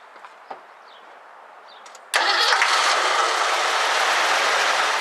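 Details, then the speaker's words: 1984 Ford Mustang GT350 carbureted barn find, bad-smelling gas: a few clicks, then it catches abruptly on starting fluid and runs rough and uneven before dying; owner suspects fuel pump or fuel delivery problem. "thinking we're having a fuel issue I'm going to get some stuff and start to check it out"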